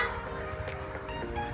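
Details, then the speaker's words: Newly installed Bosch FC2 horn on a Yamaha NMAX scooter: quiet surroundings, then a short, loud, bright horn blast at the end; the horn sounds strong and works normally. "kita coba dengarkan suaranya tapi Halo pah papah suaranya mantap jaringan lagi"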